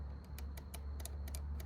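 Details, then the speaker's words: Relay removed from a 2001 Jeep WJ stuck in transmission limp mode, bench-tested by powering coil posts 85 and 86 from the battery: crisp dry clicks each time power touches the posts, over a low background hum; the relay coil pulls in normally. "So I'm going to see if the relay clicks when I touch them together."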